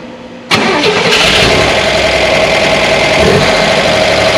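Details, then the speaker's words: 1965 Corvair 500 engine just reinstalled after sitting almost 30 years, backing out of the shop: busy clattery idle with light quick ticking; lifters not yet pumped up, quieted after a 5–6 mile drive. "those lifters pumped up and uh it didn't when I backed it out out of the shop over there it just sounded terrible"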